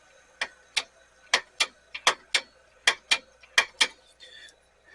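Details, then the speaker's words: Sony VO-5800 U-Matic VCR: sharp mechanical clacks in pairs about every half second as the pinch-roller solenoid engages sluggishly. Stiff joints needing oil are suspected; playback squealing lessens with repeated cycling. "the squealing is happening less and less and less the more I just do this solenoid engagement not happening as fast as I would hope it to"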